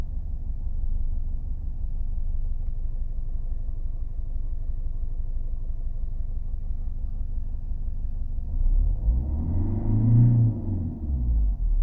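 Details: 2002 Mercedes W210 220 CDI diesel at idle: a low, uneven rumble that wavers, an intermittent rough idle, mostly from cold, smooth through the rev range. No power loss or smoke; injectors clean; unchanged with the MAF unplugged; cause unknown.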